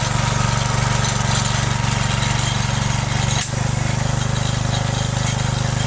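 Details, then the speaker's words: Free neglected Briggs & Stratton single-cylinder rototiller, revived with choke, throttle and stuck cables freed, short test run; steady even low thump, no misses or knocks, running perfect. "Well, I actually think this is running perfect. It's running really nice."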